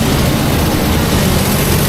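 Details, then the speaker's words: 200 kW rental diesel generator, 6.7L, 600V mode, on a load bank at full load (200), about an hour after low-load running to clear wet stacking: loud, heavy, steady roar with an even beat, no hunting or misfire, no smoke; normal full-load running. "You hear the sound of that thing, it is loud, it is moving, but there's no smoke. We are currently on full load, 200 kilograms."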